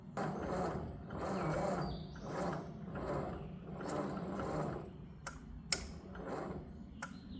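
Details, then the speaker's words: 1957 Ford 640 tractor, sat several years, carburetor cleaned, fresh non-ethanol gas, in neutral: slow, laboured cranking, about one heavy compression stroke per second, barely turning over; old battery too dead, later replaced along with starter cable. "That battery's way too dead to do this."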